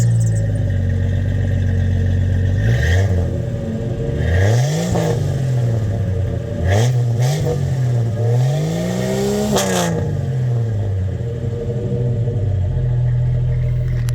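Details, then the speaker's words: Rebuilt 1998 Jeep Cherokee XJ after a wreck, with everything from the head down replaced, Thrush mufflers, and months of tuning: revs climb and drop smoothly on blips, then settle to an even idle with no knock or tap; healthy engine. "There she be, purring like a kitten. That's great. That's nice and smooth."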